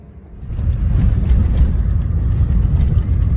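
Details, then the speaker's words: Peugeot 1.4 HDi diesel runs rough and lumpy with uneven low thumps, clicking, and revs limited. It is a severe misfire because the shredding alternator belt damaged the crank sensor wires and plug. With the belt removed, it ran smooth and quiet. "yes this is as fast as it'll go and every time it was misfiring and about it was sort of clicking in this area here"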